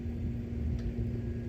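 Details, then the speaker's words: Commercial ceiling air handler after evaporator blower wheel replacement (the detached wheel had jammed the blower, causing banging and a burning smell): steady low hum, constant tone, no scraping, rattle or wobble; runs normally. "对，转了，没问题了。"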